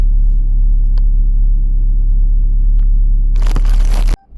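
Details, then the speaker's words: 1994 VW Golf 3 Variant with rebuilt fuel pump, run for a while, nearly at operating temperature, oil at 62 degrees: smooth even idle, no knocks or pump whine, cut off near the end; pump quiet, normal idle. "Okay, so the car has been running for a while. The engine is just about to reach its operating temperature. The fuel gauge, again, it seems to be working. The fuel pump is quiet and it's working nicely."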